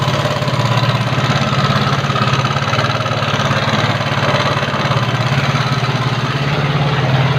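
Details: Yamaha Mio carburettor scooter with complaint of rough engine sound: idling with an uneven, gravelly pulse and coarse rattle over the low thrum; rough running, cause not pinned down.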